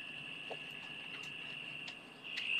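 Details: Maxitronix 10-in-1 one-transistor radio with diode: steady high whistle near 2.8 kHz with humming, chirping and no station audio; tuning capacitor has no effect and touching the transistor base changes the sound, so it is oscillating, not receiving.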